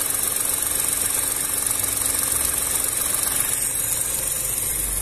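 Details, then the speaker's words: VW up! TSI at warm idle, coolant actually 97–98°C though dash shows 90°C; radiator fan just started turning slowly, even quiet idle with soft steady whir; engine and fan healthy, normal idle with cooling fan running. "vou esperar ligar a ventoinha aí eu te dou já mostro para vocês ó pessoal Demorou mas ligou bem devagarinho tá vendo tá rodando meu prato"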